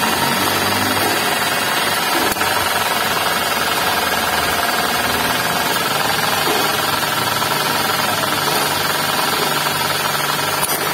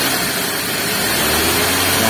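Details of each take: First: Suzuki Ignis manual, running engine, under the hood: rough growling rattle from worn bearings on the V-belt system (alternator, water pump, belt tensioner), tensioner bearing worn. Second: Suzuki Ignis manual, after replacing V-belt tensioner bearing and adjusting fan belt: steady petrol engine at idle then revved, no more rough growling noise that the bearing caused.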